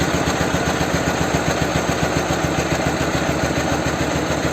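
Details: Motorcycle engine with a 'bomb' muffler, just fitted after an engine swap, at a raised idle during carburettor adjustment: choppy, uneven putt firing every other beat with lopsided pulses; running on one cylinder.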